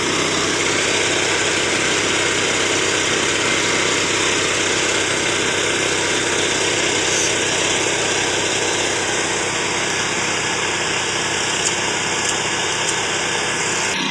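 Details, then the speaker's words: Very loud, harsh, raspy engine roar with a hissy edge and no muffling. "Suaranya berisik sekali ya teman-teman karena ada bunyinya itu."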